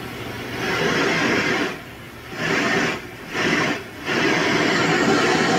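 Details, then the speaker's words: Ultrasonic gooseneck leak detector probe passing over a system held at only 40 psi of pressure; a rushing hiss rises and falls, louder on the back side where the refrigerant leak is located. "okay we can tell it's definitely louder over here on the side we located the leak in the backside here that was only with 40 pounds of pressure on it"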